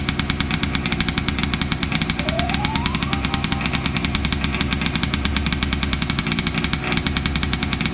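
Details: Losi 5T 2.0 two-stroke, started with choke on VP fuel after sitting about four to six months: rapid crackling buzz at a steady fast rhythm, no stumbling or dying; running fine.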